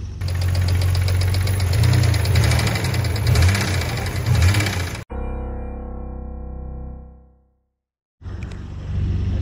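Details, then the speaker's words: Nissan R32 Skyline after a sudden engine blow, barely started at the shop: rough idle under a heavy, loose metallic rattle about four knocks a second, weak rev response; severe internal engine damage, likely unfixable. "The sound is obvious and something wrong. Did you hear the sound? When I heard that sound, I thought the engine is over..."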